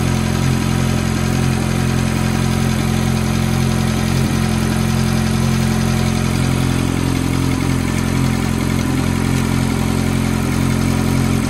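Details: F430 V8 at cold-start idle: a quick, steady tick of about four per second rides over the even idle; the source of the tick is unclear.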